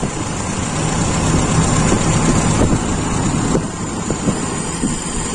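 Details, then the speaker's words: Toyota Kijang Super carbureted engine: low idle lopes and stumbles unevenly; primary and idle jet ratio judged normal, but the idle mixture is too lean and smooths only with the intake almost fully covered. "Artinya menurut saya ini ya sekali lagi menurut saya perbandingan antara spier primer dan stasioner itu tidak ada masalah itu masih normal hanya campurannya di stasioner itu terlalu miskin hampir kita tutup penuh"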